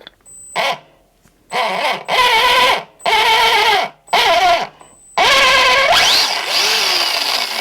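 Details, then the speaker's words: Arma Fury RC truck after swapping a dead brushed motor for a new Spectrum Firma brushed motor. It first sounded very loud, and the owner suspected the spur gear. Now short throttle bursts give a clean electric whine rising and falling with speed, with no grinding or squawk: normal gear mesh. "That sounds a lot better."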